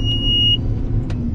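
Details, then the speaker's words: Combine harvesting wet-damaged corn with the separator plugged and slipping at lower rpm: a sharp, steady half-second beep sounds over the low rumble; the monitor is warning of the plugged, slipping separator clutch. "lower rpm and listen to it beep well [Music] that's not a good way to end things"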